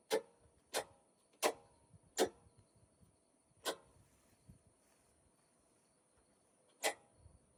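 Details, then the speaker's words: Inverter switched on after AOUSK 48V 100Ah LiFePO4 server rack battery and BMS, taking about 500 to 1,000 watts of household load on one leg: a handful of sharp relay clicks at uneven spacing, then quiet; normal inverter start-up. "You can hear the inverter kicking in."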